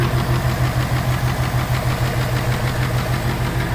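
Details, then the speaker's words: 2018 Mustang GT idling with a steady light clapping, about three a second, from the intake manifold runner control (IMRC). It stops when the blue pin is disconnected; this is normal function, easily mistaken for knock. "see how that stopped that is something going on with that imrc that's just the way it functions because the bar runs great but that sounds like a ticking in itself and can be kind of mistaken for some knocks"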